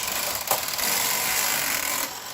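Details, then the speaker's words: Brother KH910 knitting machine during a service-manual needle selector check, carriage reversed with the mylar removed: a harsh scraping rasp for about two seconds as the carriage is pushed. Stiff carriage travel, and the needles are seen jumping; cause not confirmed. "come back it is a little bit hard to push"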